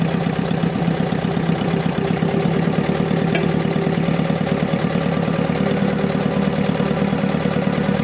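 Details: Diesel engine idling with an uneven, lumpy beat and a shaking pulse about once a second, with vibration, low power and black smoke; fuel-side misfire at idle, fuel system still needs fixing.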